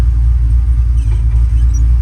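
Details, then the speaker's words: Truck on jack stands with a newly installed Tremec TKX replacing a failed T5, clutch in, shifts smoothly into first with the wheels spinning: low, steady drivetrain rumble with no grinding, whine or clunks. Gearbox sounds healthy. "But clutch in, goes into gear smooth, no grinding. Try out first gear."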